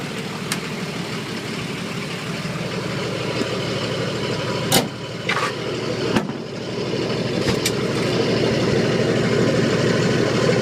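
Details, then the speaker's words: 1980 International Scout II with factory Nissan SD33T turbo diesel, first run in the truck after rebuild, cold idle dropping from high revs: harsh, loud clattery knocking that slowly settles; owner unsure whether the cam is the cause. "uh that's what it sounds like it's pretty loud compared to some of the others that I've Just Seen on on YouTube um not sure if that's because of the cam or or what the deal is"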